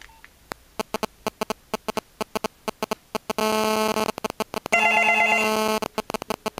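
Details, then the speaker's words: Australian landline ringing after a call from a digital mobile phone: a steady rapid ticking buzz, about three pulses a second, under the double ring tone, caused by the phone's radio signal getting into the audio circuit as interference. "You'll hear this terrible buzzing sound. Uh, and that's the the interference from the radio signal gets into the audio circuit and converts it into a buzzing sound. It's quite annoying."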